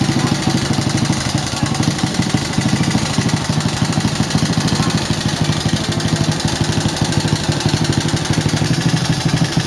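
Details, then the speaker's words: Old motorcycle engine before any repair, at idle: coarse, heavy knock about three times a second through the bottom end, rough-sounding. Worn connecting-rod big-end bearing and piston knock. "Kondisinya bisa sama-sama kita dengar tadi, cukup kasar suaranya."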